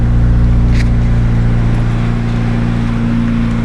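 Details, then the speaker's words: 1996 Acura Integra with B20 engine swap, OBX headers and small exhaust, started at about 12°F in Michigan; owner says it starts right up every time. Settles into a steady low idle with an even beat, no knocks or misses. "so start her up it's right up every time no matter what it's really reliable"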